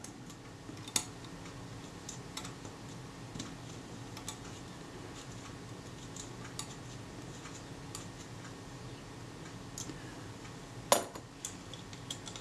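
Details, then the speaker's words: Kodak Retina II type 122 35mm camera, about 85 years old, during servicing: sparse crisp ticks with one sharp click as the film advance winds; the ratchet tooth engages cleanly despite a damaged spring, so the film advance ratchet works normally. "well you can hear that ratchet tooth engaging quite nicely there as it drives the film advance films fall forward so that's good"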